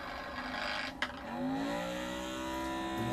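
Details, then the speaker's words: Magnetic stirrer mixing 3D-printer resin in a bottle with a non-flat bottom, speed cranked too high: sharp clack, then a whirring tone sliding upward as the plastic-coated stir bar flies off its center pivot and stops stirring. "that means that when you hear it fly off like that, what it's doing is the magnet's actually flying off the center pivot point, and it will not stir because it's just hanging there, going all over the place here."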